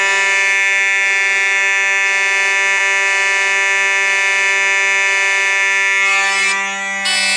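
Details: Simplex 4005 fire alarm system test with Simplex mechanical horns, both sounding together, heard through an open door: a loud continuous buzzing tone holding steady for several seconds. The horns are working properly.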